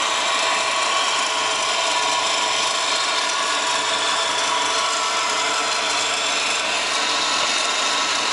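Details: Subaru WRX GDB running: fast dry ratcheting chatter over a steady hiss from the belt area, unchanged throughout; the strange noise was traced to a bad A/C idler pulley bearing.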